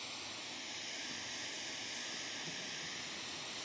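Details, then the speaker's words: Steady, even hiss with no rhythm from an FM radio on a free channel with a telescopic antenna at night, showing heavy electrical interference; suspected sources include LED lighting, solar inverters or fiber. "Agora, veja como aumenta muito o ruído, a interferência durante a noite."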